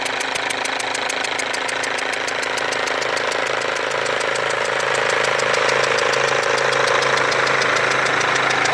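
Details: Mercedes W204 diesel idling with a leaking injector: sharp, steady ticking around four per second and a faint whistle riding over it, with burnt-on diesel residue around the injector.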